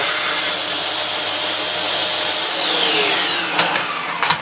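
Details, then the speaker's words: Dyson Cinetic DC54 after refurbishment, previously used heavily for DIY, running in max mode: steady rushing airflow with thin high motor whine, strong even suction; normal vacuum suction. "let's try the floor to with in maxb oh this could be difficult wow oh you can hear the air rush out you open"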